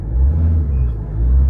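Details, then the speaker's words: Ford Ranger 3.2 diesel: low rumble swells promptly on two short pedal stabs around 1,000 rpm and settles back without hesitation; normal throttle response. "So makita mo 'yung balik ng RPM mo. Ayan oh. Kita mo yung galit? 1,000. Ayan oh."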